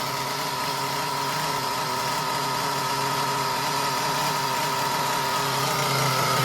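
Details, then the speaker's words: Traxxas Nitro 4Tec with rebuilt 3.3 engine on its first bench start after 15-20 pulls and a couple of revs: high buzzing note holds steady and climbs slightly, firing cleanly and evenly. Seems ready for bench testing. "So, I don't know, it took about 15-20 pulls to get it started. Revved it a couple times."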